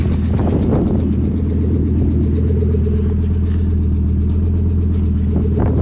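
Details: 1986 Audi 4000CS Quattro, first start after sitting a few years: steady, even low rumble and smooth idle after starting, no misses or knocks. Normal idle.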